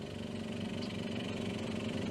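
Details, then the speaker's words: 1998 Daihatsu Sirion M100 idling, heard at the rear: an uneven, raspy puffing that is worse when revved, an exhaust leak suspected at the pipe to the rear silencer where it hoops over the rear axle. "we do now know she has an exhaust leak uh so I'll start her up and we come to the back or a bit flatulence especially if I do that"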